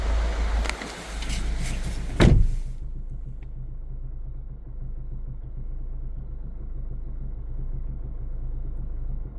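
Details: 2014 Hyundai ix35 2.0 184hp diesel automatic, 166,000 km, warm after half an hour of driving: dull steady low knock under the idle, heard from inside the cabin, when stationary or at low speeds up to about 1500 rpm; sometimes stops.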